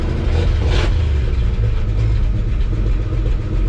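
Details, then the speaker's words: 1953 Chevy 4100 truck's old petrol engine, first start after resurrection, oil pressure off zero, a sizable exhaust leak: steady, even low rumble at idle with no knocks, misses or smoke; normal idle. "no smoke that's the way these things sound i know it probably sounds noisy to you but that's the way they are"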